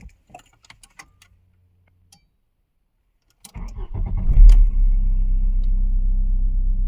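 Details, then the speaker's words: 1994 VW Golf 3 Variant, 1.8 90 hp ABS engine with Bosch mono injection, after replacing the gasket between intake manifold and injection unit. Engine catches at once and settles into a smooth, even idle, no hiss or vacuum leak: normal start and idle. "Okay, it's on. Seems to be idling nicely."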